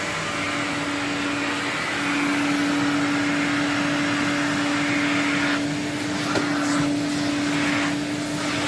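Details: 1979 Electrolux Z96 cylinder vacuum, floor head on carpet: steady motor hum with whirr shifting slightly in tone as head meets carpet; labouring, owner suspects it needs suction control/air release.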